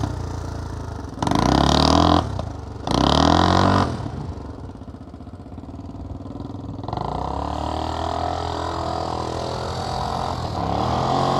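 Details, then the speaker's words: 1979 XL500 single-cylinder bike blips twice, then idles with light, uneven top-end tapping. It went from fairly quiet to quite tappy over two commuting rides, and it is valvetrain noise from worn rockers and cam. "all right so the top end on my 79 xl500 is started tapping uh pretty badly"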